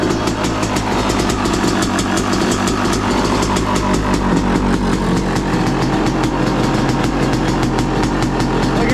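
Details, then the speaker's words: 2023 Yamaha YZ250 two-stroke with new Boyesen Rad Valve, on stand at freezing temperature: first-kick cold start, crisp steady idle on choke with fast even popping and no surging, not revved; runs cleanly, sounds crisper, jetting untouched. "it's freezing out, so I don't want to go revving on the bike. It's just idling on its choke. Not bad."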